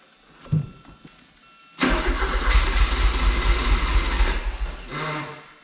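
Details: 1984 Porsche 944 sitting a couple of years: quiet click, then starter churns steadily about three seconds without catching; crank no-start, bad gas damaging injectors or injectors not firing suspected.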